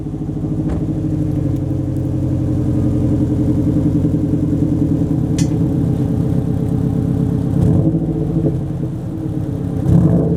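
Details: 2007 Subaru Legacy GT spec.B fitted with a new Nameless mid pipe and resonator completing a catback with muffler delete, plus an HKS blow-off valve; deep, loud exhaust rumble swelling and settling with throttle blips, pulling cleanly with no knocks or rattles, running healthy.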